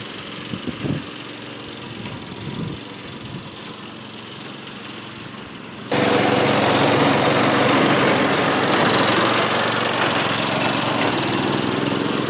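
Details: 1992 lawnmower 5HP Briggs & Stratton engine on a DR Power Wagon utility cart, after a fuel leak repair with the air cleaner refitted. After some handling noise it starts and settles into a loud, even, steady run with no misses, knocks or fuel stumbles.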